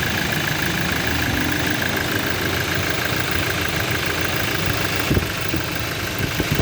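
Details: Toyota Innova under mechanical engine diagnosis: steady idle with a dull knock in the clatter plus sharper taps near the end; internal engine knocking, cause not yet found.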